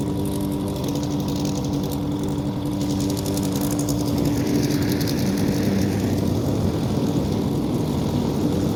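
Single-cylinder mower drones steadily, dipping slightly as it takes grass load and recovering, with no knocks or misses; running well.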